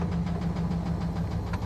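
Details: Salvage-auction truck at Copart, started off a booster pack, oil an odd colour: rapid hard knocking over a rough low idle throughout; heavy internal engine knock with no oil pressure.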